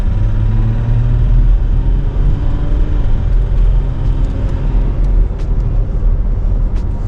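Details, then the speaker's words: Ram 1500 3.0L EcoDiesel V6 (second-gen), second engine, truck at 381,000 km, glow plug light flashing and check engine lights on: idling with a deep rumble and dull rod-bearing knock, worse when cold. "she's got a pretty good knock to her especially when it's cold"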